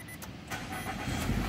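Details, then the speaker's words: 2021 Nissan Altima, previously no crank no start from faulty IPDM, after IPDM replacement, configuration and DTC clearing: short crank, catches promptly, quiet even idle; normal start. "Switch off switch on start may start na okay na"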